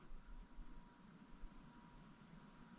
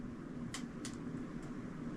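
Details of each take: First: Hampton Bay 52" Quick Connect Contractor Edition ceiling fan running on high, motor possibly a 153 (not confirmed): only a faint, steady low motor hum and soft even whirr, quiet airflow, no clicking or wobble; normal, healthy ceiling fan. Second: Hampton Bay 52" Quick Connect Contractor Edition ceiling fan running on high: steady low motor hum with short, sharp high creaks about every half second from the blades creaking on their rubber mounts; otherwise quiet airflow.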